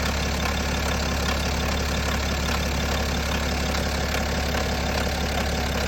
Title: BMW N57 Timing Chain Noise? #bmw #n57 #timingchain #automobile